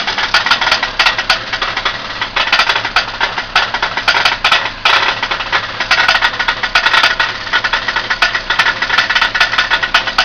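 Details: Newly fitted Ford Capri 2.0 Pinto engine at idle: sharp metallic ticking and rattling in clustered bursts; owner unsure whether it is a bottom-end failure or something knocking elsewhere.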